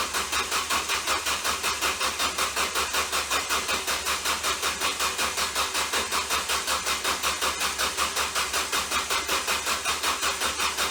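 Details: Ford Focus: steady, even cranking under three turns a second with harsh buzzing edge and no catch; bad starter shorted from burning up.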